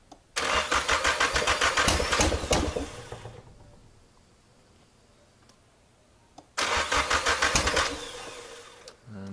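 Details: Nissan SR20 (black top) turbo swap in an S13, mostly stock with front mount, wired per FR Sport guide; fuel pump primes, then two bursts of steady cranking about three turns a second, never catching; crank no start, fuel smell near turbo.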